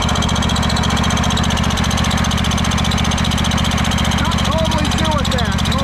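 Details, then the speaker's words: Craftsman DYS4500 riding mower, 26 hp Craftsman Courage engine, about 800 hours, after sitting over a year; steady beat near 220 a minute with faint rising-falling chirping squeaks; source unknown, owner suspects valves need adjusting. "Not sure what that squeaking is. We might have to look into that, too."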